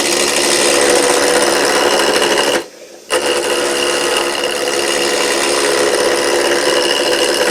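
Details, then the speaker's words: Woodturning lathe roughing a blank with a sharp gouge at about 45 degrees, speed turned up: steady even hiss with one short lift-off, no chatter or catching; higher speed gives a cleaner, smoother cut. "Always work with a comfortable speed and a sharp tool. The faster you're able to turn, the cleaner the cut is going to be."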